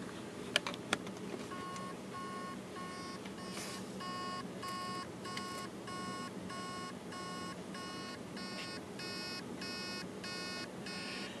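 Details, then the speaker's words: Hard drive emits a steady train of short high beeps, about two a second: the spindle motor tries but fails to spin the platters, most likely because the heads are stuck on a platter. A seized bearing is also possible. "you can hear the beeping noise that's basically the motor is trying to start the platters and it can't and it's most likely because uh the heads are stuck um on a platter"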